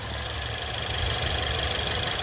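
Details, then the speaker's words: 2014 Ford Fusion, 72,000 miles, direct injection, startup then idle during pre-purchase inspection: fast even patter of light ticks from injectors and high-pressure fuel pump pulses; healthy, no cutting in or out. "All those little tick taps, those are your injectors firing. You want to make sure those are healthy taps."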